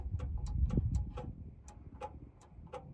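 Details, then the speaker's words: 1990s John Deere F1142 mower with corroded connectors: faint sharp clicks at about three per second, uneven, with no cranking. The starter solenoid is suspected; the safety control box is being checked. Relay clicking, starter not cranking. "That's trying to do a starter solenoid. Right? Sounds like it."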